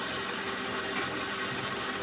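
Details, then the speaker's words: Suzuki Vitara power steering at idle after fitting new fluid: steady even whirr with no whine, performance improved. "So ngayon bago na at ah may pagbabago naman sa performance ng power steering."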